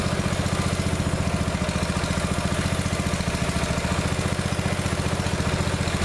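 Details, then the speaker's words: Neglected riding mower revived, after fitting the correct fuel line and clamps and putting the shutoff and filter back on, fresh gas, jump pack on weak battery: steady single-cylinder putter at fast idle, about 220 beats a minute, no misses or knocks; runs perfectly now. "all right so seems to run perfectly now that's good it's real good for all that work had to do to it"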